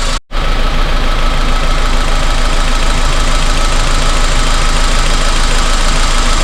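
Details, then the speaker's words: 2002 Honda Civic, loss of power, codes P0300–P0304, at idle: steady but lumpy idle with uneven low beat as one cylinder drops out, high short-term fuel trim; dead cylinder. "Still feels like it has a miss. Alright, well, I don't really know what I'm reading on that thing. Short-term fuel trim seems a little high, but we can tell out here that one cylinder's definitely dead."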